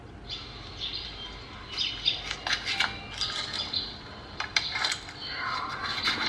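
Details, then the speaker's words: Inverter welder test weld after a technician had already replaced the oscillator board: crackling, sputtery arc under a very loud shrill squeal, with almost no welding current; a fault at one pin leaves no weld voltage output. "rít rất to luôn không có dòng Hàn là ra mà ngoe từ rít rất to như là size giáo động ấy các bạn ạ"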